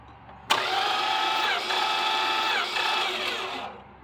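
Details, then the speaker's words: 1964 Dodge Polara with 318 poly V8 cranking with all spark plugs out (points also removed): about three seconds of fast, even whirring with no compression pulses. The engine does crank. "It does crank. And it sounds like that because it has no plugs in it, but it does crank."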